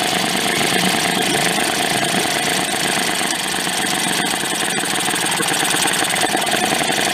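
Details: Late-1990s Mercury 5 hp two-stroke outboard, yard-sale find, running before air-fuel mixture adjustment: buzzing idle with a ragged, uneven beat and some spitting, idling poorly and rough. Cause suspected, not confirmed.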